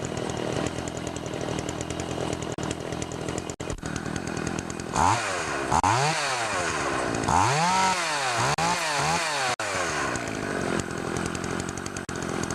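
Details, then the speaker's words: Makita DCS 400 (Dolmar) chainsaw after carburetor adjustment and cleanup, test cutting wood: revs cleanly, pulls down evenly into the cut, recovers to steady high whine; normal running under load. "so now that I know she runs good I'm just going to put back the plastic"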